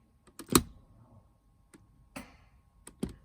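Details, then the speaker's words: Legacy Truma heating and hot water system in a motorhome; panel switched on, a few dry clicks with a louder one about a second later, the gas valve opening normally. "hopefully you heard that loud click that was about a second or so after I turned the panel on"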